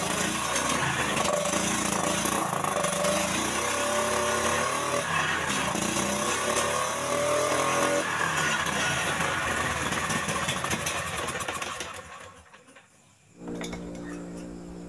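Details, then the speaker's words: Jarwo Crown rice transplanter small single-cylinder engine, hard to start, tested after carburetor refit: stumbles and hunts unevenly without picking up revs, running rich; rough running. "jadi untuk awal dihidupkan mesin ini mengalami pincang mungkin para sahabat sudah mendengarkan Seperti apa suara pincang pada mesin"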